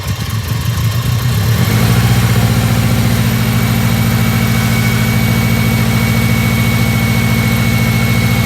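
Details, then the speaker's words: Seriously neglected, non-running Subaru Impreza WRX started; brief crank, catches within two seconds, settles into a steady even idle burble with no knocks or misfires: normal cold start and idle. "that's actually shocked me because that sounds sweet as enough actually sounds really really good guys"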